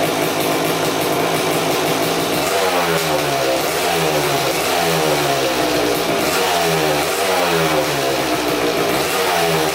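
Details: 2000 Suzuki RM250 two-stroke (249cc), unrun two years, fresh premix fuel, cleaned carb, good compression: very loud harsh rasp swelling and falling with each throttle blip; big split in the expansion chamber leaking exhaust, basically straight-piped, needs welding.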